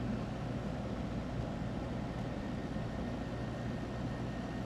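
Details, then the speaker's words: Older Windchaser PACR12 12000 BTU portable air conditioner using R22, compressor switched on, set at 60: low steady hum with constant fan rush, no rattles or surges; running normally. "Alright, so let's turn it on. I think the compressor came on. We're at 60."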